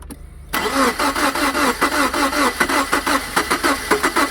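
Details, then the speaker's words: 2002 Subaru Impreza towed in with a no-start, engine turning over relatively normally: even starter cranking at about five pulses a second that never catches; crank, no start, cause not confirmed, one left-side spark plug noticeably more worn. "This morning we're working on an 02 Subaru Impreza that was towed into us with a no start condition. Go ahead and crank it."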